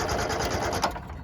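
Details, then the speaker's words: 1970 Subaru Sambar pickup off the road 40 years, after repeated start attempts: sluggish, uneven cranking that slows and fades without firing; battery and jumper pack run down. "My battery's dying. God, jumper pack's dead. Dang it."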